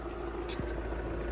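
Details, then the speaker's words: 2013 VW Jetta Sportwagen TDI diesel, 180,000 miles, idling just after fuel filter replacement with an OEM-equivalent filter: smooth, even diesel clatter with a steady low rumble, no misses or knocks; normal idle. "but yeah she's up and running ready for uh some more service this thing's got uh 180 000 miles"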